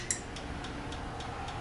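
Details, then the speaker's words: Honda Ruckus with a GY6 engine swap on a wiring adapter harness, key switched on after installation: one click, then about six light, even ticks roughly every quarter second; normal fuel pump priming. "Okay, let's turn it on. You'll hear the fuel pump click."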